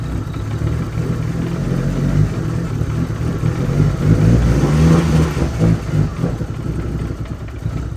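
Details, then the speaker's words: Mitsubishi Evo with newly fitted ECU, O2 sensor still missing, crank and cam signals restored: starts and runs with an uneven, lumpy idle and a few throttle blips; running again but needs a tune. "Well, she just needs a tune. But it fires. We got crank cam, everything's back"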